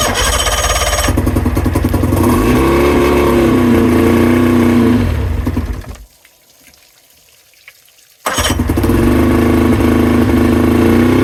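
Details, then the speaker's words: 2000 Johnson 50hp two-stroke outboard on fresh fuel, spark excellent: buzz turns lumpy and uneven, cuts out, then restarts; it runs on two cylinders and then drops to one, which the owner says is not getting enough fuel. "so as you guys seen it round on two cylinders for a little while there but then it cut back to one so that's an indication one of the cylinders isn't getting quite enough fuel to to fire up"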